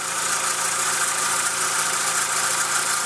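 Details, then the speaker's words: MK4 VW Golf 2.0L four-cylinder idling smoothly after spark plug replacement with laser platinum plugs: even, steady hum with soft hiss, no stumbles or ticking; engine cover off, secondary air injection pump noise noted earlier at startup. "sounds like it's running nice and smooth those laser platinum spark plugs are worth something I guess"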